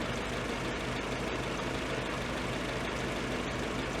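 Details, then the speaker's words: Ford-script Willys army Jeep after fixing carburetor idle circuit that caused cutting out at idle; smooth, steady idle with even low hum, no stumbling or hunting; normal idle. "That's running pretty nice there. I reckon Jamie and Julie are going to be pretty happy with this."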